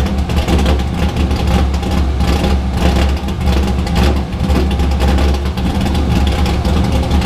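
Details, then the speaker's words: Drift car started after being primed; at its first startup the owner said it didn't sound like it normally does, and it later hesitated pulling away. Heavy, loud low rumble surging unevenly instead of settling; rough running. "but this sounded off to me it was just like i didn't sound right like typical how my car sounds"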